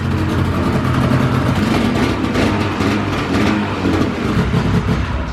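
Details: 2000 Ski-Doo Grand Touring 600 two-stroke snowmobile, sat outside three-plus years, reassembled with power valves left uncleaned, warming up: runs steadily at a high, even speed with no stumbling or hunting; sounds healthy.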